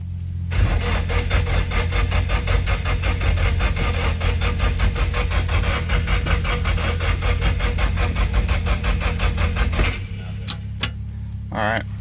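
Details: Nissan 240SX S14 SR20DET after engine rebuild, jump-started, injectors reseated: about ten seconds of steady cranking with a few faint pops, no catch.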